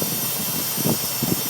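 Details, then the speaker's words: 2005 Nissan Armada LE 5.6L at idle: steady hissy buzz rising in short surges, loudest low at front of engine, present for over a year; owner unsure if linked to low oil pressure, fan clutch ruled out; buzzing noise at front of engine. "there's a buzzing sound and I'm not too sure if it's related to the oil pressure or not"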